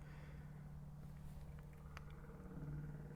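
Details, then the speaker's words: 1975 MG Midget, first start in a while, on jack stands: faint steady low hum with engine not turning, the converted electric fuel pump priming normally before cranking. "can you hear the fuel pump it's been switched it's a it's a an electrical fuel pump now"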